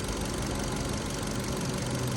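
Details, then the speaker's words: 2015 Kia Cerato after replacing the faulty injector: short steady idle with an even rumble and no stumble or shake; scope signal good, shaking and misfires gone. "مثل مو شايفين البنجا صار تمام وهنا السياره صارت ما بقى فيها رزه"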